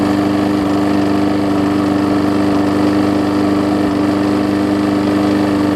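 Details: Husqvarna mower with aluminum deck and a transplanted single-cylinder engine, after a new gas tank, a replacement carb and a tune-up, started after priming. It has a steady, even beat and constant hum with no misses or surging, running smoothly and healthy.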